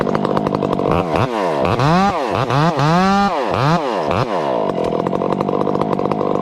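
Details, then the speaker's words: 500i chainsaw with old hand-filed chain cutting small wood: revving, pitch dipping and recovering each cut, only slight four-stroking burble, judged acceptable. "this is the 500 ey with a skanky old hand file on it probably got a little you know raggedness to it but listen to it run in small wood this is this is acceptable very acceptable you'll still hear it you little barking the four stroking but not much"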